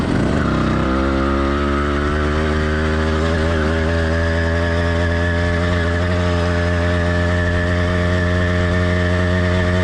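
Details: Warmed-up but not heat-soaked two-stroke motorized bike kit engine (single-speed, single-circuit carburetor): steady buzz settling after a quick rev, mostly smooth with faint uneven burble; normal running, light four-stroking.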